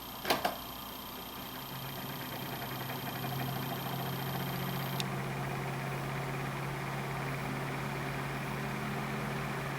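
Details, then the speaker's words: Hampton Bay (Midea) oscillating desk fan: click, then steady motor hum with a buzzy rattle as it spins up, worst on startup; suspected bearings but the blade had come loose from the shaft; quiet once tightened. "i noticed this developed kind of an annoying sound particularly on startup at first i thought it sounded like the bearings were going"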